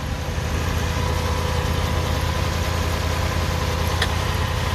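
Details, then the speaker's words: Lexus SC430 after fixing the fuel pump resistor and relay and installing the correct fuse: fires right up on first start into a smooth, even idle with steady low hum, no misses, knocks or ticks. "Moment of truth. First start. Fires right up. Fires right up, guys."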